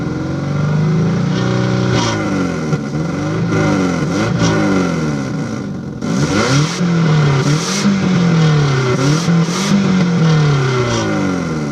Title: Start Up and Rev of 2002 Subaru Legacy GT 2.5 With Exhaust Leak